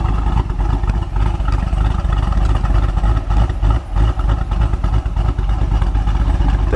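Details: 2017 Chevy SS LS V8 first start after a BTR Stage 4 cam swap: deep, uneven, loping idle of about three beats a second, healthy for a big cam.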